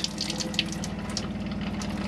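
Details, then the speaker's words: 2005 Autocruise Starspirit motorhome, tap opened cold then turned toward hot while filling the boiler: water gushes in uneven spurts, hisses and pops as air is purged from the line, flow settling into pressurized flow as it clears. "as it's pushing the air out and the floor will improve"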